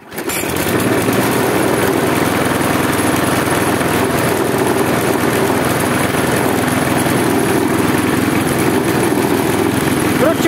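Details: Husqvarna J55S mower with B&S 650 engine at held throttle runs lumpy, hunting and surging instead of steady.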